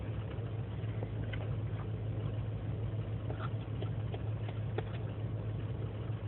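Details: 2003 GMC Sierra Z71 5.3L V8 (non-flex fuel) idling unaided after overnight in single-digit cold: lumpy uneven beat with stray ticks; lean and misfire codes, owner suspects failing intake gasket vacuum leak; fine once warm.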